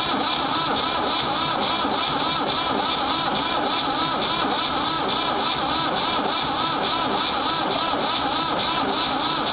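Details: Ford 3600 diesel tractor with rebuilt CAV injection pump, bleeding injectors: long even starter grind with steady compression pulses that never fire, long cranking on a warm corroded negative battery cable; cranks but won't start, seized injection pump plungers.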